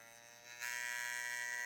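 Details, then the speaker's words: TATVIDA rotary tattoo machine run above 9.5–10 volts: sharp steady high-pitched buzz turning louder and harsher midway, an unpleasant weird noise though it still tattoos; noise acceptable at 7–9 V; abnormal loud buzzing. "Mais si vous avez besoin de monter les watts au-dessus de 9, 5, 10 volts, ça commence à être un peu désagréable. Après, ça fait du bruit, un bruit bizarre, mais ça tatoue quand même."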